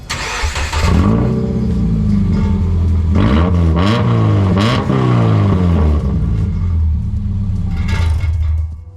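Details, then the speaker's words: Subaru in salt-belt Minnesota with rusted-through exhaust broken in half at an old pipe repair, effectively straight piped before a new resonator is fitted; cranks, catches and revs with a loud, raw, unmuffled bark and drone on each blip; broken exhaust. "so as you can see there not very pleasant very loud very obnoxious we're going to fix that today"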